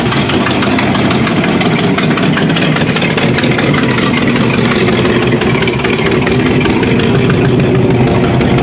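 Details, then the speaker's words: 1981 Recaro Turbo Trans Am that sat almost six years, starting after a bad battery ground was fixed. A loud, even engine rumble held steady with no misses, knocks or stumbles; the engine lives and runs normally. "Holy shit, it lives."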